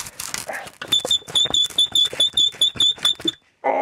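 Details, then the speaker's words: Swardman Electra 2.0 reel mower drive roller, disassembled and turned by hand: a high, even squeak about twice a second from the differential, found completely dry with no grease. "das ist klassisches Differential und das ist jetzt alles trocken hier das ist alles trocken warum ist das alles trocken warum ist da nicht ordentlich fett drauf"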